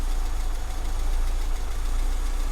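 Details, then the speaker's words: Austin Metro under restoration, just serviced with slightly thicker oil, idling after choke start with warning light now off: steady, even low idle with only a faint light tap underneath; engine sounds healthy. "sounds nice now i stand up so you can hear it a little bit better still a tiny little bit of a tap but not a lot"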